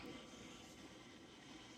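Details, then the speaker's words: Zacme stand mixer with a DC motor, just after the kneading timer shuts the motor off: a faint, steady airy whir that stops when the power is switched off; the internal cooling fan running on, which is normal. "Interesting, you can hear it. That is so different. I wonder if that's the cooling thing that's inside that I'm hearing."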